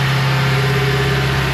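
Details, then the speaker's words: BMW M5, S63 twin-turbo V8, after rebuild, warming up during an automatic oil-level measurement that loads the engine to reach 80 degrees. Firm, steady hum at raised revs with no misses or knocks: smooth running under load. "As you can see, this is warming the engine up now. And what Top Don does is it puts some load on the engine automatically. That's why it's revving, as you can hear."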